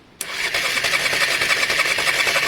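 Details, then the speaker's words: Honda Varadero 125 cranking on the starter before fuel is added, first start attempt: quick, even whirr with steady, evenly spaced compression pulses and no dragging; healthy cranking compression. "but the actual compression in cylinder sounded smooth enough there guys so so far so good"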